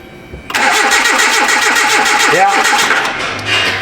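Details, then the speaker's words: 2010 Hyundai Accent, repeat no-start after earlier starter and front O2 sensor replacement: starter cranks steadily about four beats a second for three seconds, one brief cough, never catches; spark checker shows no spark, no fuel smell; crank no start. "Okay. All right. So, we have no spark on that cylinder. I'm going to assume the rest."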